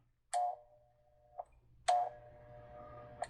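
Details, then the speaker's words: Mr. Christmas Cupola Carillon, given away as not working, with parts removed by a failed repair attempt: two switch clicks, brief ringing tone, then only a faint steady hum, no movement or music; stalled motor humming, mechanism not turning. "Now you can hear it's humming. There's also no sound."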